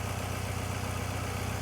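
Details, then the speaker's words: Mazda MX-5 with 56,000 miles and a weak battery on a cold start: a smooth, even idle with no idle bounce, no knocks and belts OK. The engine runs sweetly and sounds healthy. "And I tell you what, that runs pretty sweet. 56,000 miles, no knocks, that's a cold start."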